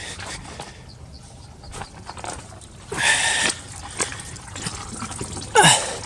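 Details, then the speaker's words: 2002 Ford F250 7.3 Powerstroke diesel, sat for two years, engine off after the IPR wire was fixed: irregular drips and splashy bursts as diesel pours out of the inspection plate and off the side of the engine, cause unknown; fuel leak. "So, I got diesel fluid coming out of the inspection plate and off the side of the engine. I don't know why the heck it's doing that. It's coming out like crazy."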